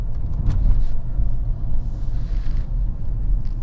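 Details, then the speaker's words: Mercedes S600 W221, M275 V12 bi-turbo, driving after replacing the blown intercooler Y coupler: deep, even engine rumble with no hissing or whooshing on boost; no boost leak, making plenty of boost. "I'll tell you right now, this thing is not leaking any boost. Yeah, it's definitely not leaking now. This thing's making a lot of boost."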